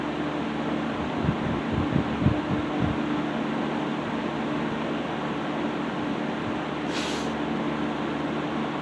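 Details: 1960s Phionex 16" box fan by Frigid with General Electric motor, just cleaned and serviced, toggle switch fitted; started on low, takes minutes to warm up to full speed. Even steady hum, faint low tone, few light ticks at first, settling smooth; normal running.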